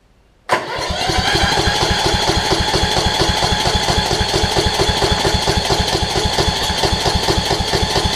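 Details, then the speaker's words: Toro Z5000 zero-turn with Kohler Courage engine, showing back pressure blowing through the intake; fuel reaches the bowl but isn't drawn in, owner suspects water: steady single-cylinder cranking at about two beats a second that never starts. "all right guys back together it'll take a few seconds of cranking but we'll see what we can get if it will start up for us"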